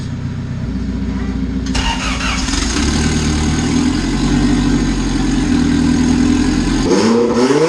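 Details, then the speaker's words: Turbo B16 EG Honda Civic after a stock fuel pressure regulator fixed running on all four cylinders, still burning off excess fuel; sharp free-revving throttle blips with pops and bangs, no stumble or misfire, building boost well; throttle still sticks slightly. "oh wow it sounds like it was building boost really well oh yeah oh yeah"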